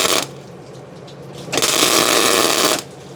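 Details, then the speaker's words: MIG tack welding on a frame, boxing the frame where the rear airbags sit, with the shielding gas accidentally left off; short bursts of harsh, uneven crackling hiss that sputters instead of a smooth sizzle. "Good thing those are just tack welds. The typical YouTube fabricator / automotive guy mistake, not turning your gas on."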